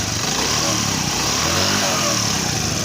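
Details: CD 70 single-cylinder bike after a timing chain replacement for chain noise, idling: steady, even idle with a light crisp exhaust beat and no chain rattle; sounds healthy.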